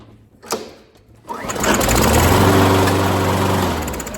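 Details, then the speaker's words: Modern mower before a tune-up: a couple of pulls, then it sluggishly catches and runs to a steady drone. A very slow start, probably fine; its automatic choke opening can slow starting. "We want to hear that start a little snappier than that. Probably fine, but that was a very slow start."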